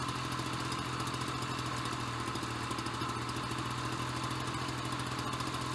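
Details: Ryobi BP42 backpack leaf blower two-stroke, 4 years old, after repairing no-spark, replacing and fine-tuning the carburetor, and redoing the fuel lines: even, fast buzz at steady pitch with no misses or surging; normal running.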